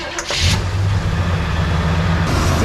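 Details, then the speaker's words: 1978 Chevy Nova four-door, sat for years in a junkyard, cranked on a 15-volt jump booster: starter drones steadily but it never fires; pump can be felt working but won't prime, owner suspects a new fuel pump is needed. "i can feel it pumping but it seems maybe we just need a new fuel pump"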